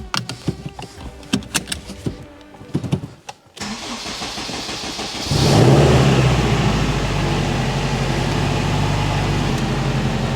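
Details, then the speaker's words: 2021 Honda Civic Type R, first start after a rebuild of the engine blown on the dyno: clicks, then a smooth even idle with a steady low hum; flywheel no longer bouncing, vibration much reduced. "it is so much smoother than before imagine that my flywheels not all bouncing around vibrating this car"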